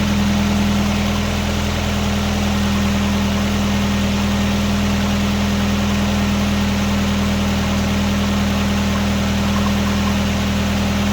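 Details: 1999 Nissan Sentra 1.6 idling after an EGR delete and new headers were installed: a quiet, even, steady low drone with no exhaust puffing or ticking. Much quieter than before. Possibly a little oil smoke near the oil pan. Normal idle.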